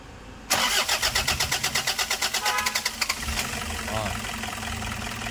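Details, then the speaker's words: Toyota Hiace 2KD diesel: about 2.5 seconds of rhythmic cranking before it catches, then an uneven, shaking idle. The engine lacks power and dies when the throttle is released. Hard starting. "Oke Guys kita hari ini lagi nanganin mobil Toyota HS dengan kendala mesinnya goyang terus dia starternya paya hidup panjang startnya"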